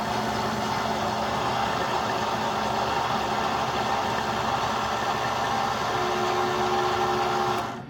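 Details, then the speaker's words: Keurig Mini K coffee machine: steady droning pump hum with faint mechanical patter runs several seconds then cuts out abruptly; brew stops before finishing, a recurring issue. "and this is the point it didn't go all the way I've had this issue many times"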